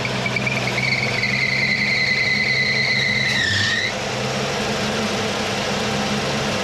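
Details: 1979 Mercury Capri with 351 Cleveland V8, distributor freed and retimed to about 10° initial (about 32° all in): steady idle under a thin high whistle that dips and fades out; idle stays even with no stumble or misfire.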